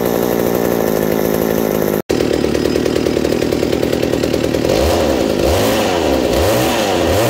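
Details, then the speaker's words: Reassembled McCulloch 790 MC101 two-stroke chainsaw with an ignition chip and a Walbro WB37 carburetor on a homemade adapter, bar and chain fitted: strong even high-speed buzz settling to a steady, slightly lower idle; sounds healthy. "oh so as you see after putting the bar and chain on it the idle drops slightly but it's perfect right there the chain just bumps forward a little bit and everything"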